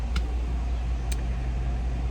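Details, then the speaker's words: 2015 GMC Sierra 6.2 V8 after replacing a broken valve spring that caused a misfire: the engine now idles down properly with A/C on, a steady even rumble with no tapping, sounding healthy and settled. "before it would not idle down hear it sounds nice and quiet no tipping no tapping none of that trash let her run for a minute oh yeah she's idling down now that's good"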